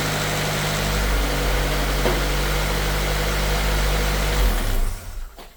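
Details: Honda Civic jump-started with an AUTOONE 6000A jump starter: engine runs at a steady, smooth idle for several seconds, then shuts off cleanly. Starts and runs fine, nothing abnormal.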